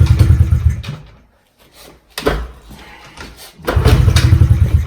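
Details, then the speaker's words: Pit bike, simple single-cylinder, flooding with fuel coming out of the carb overflow before carb cleaning: two kickstart bursts of chuffing that briefly catch then die, with a quiet gap between; flooded carburettor, won't keep running. "Yeah, see? Now the fuel starts coming out. And it also wants to start still. Something's wrong."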